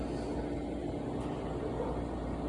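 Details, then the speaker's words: Sony PSone console disc drive giving a steady low loud buzz without spinning up, laser sled gear jammed; same unit had glitchy graphics and no audio; before repair. "Got a buzzing drive in there, so gonna have to figure that out too."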